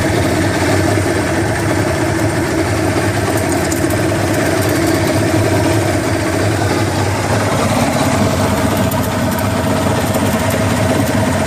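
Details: Johnson 150 hp outboard at steady speed with light irregular rattle that comes and goes; started two weeks ago at wide open throttle, louder at higher rpm.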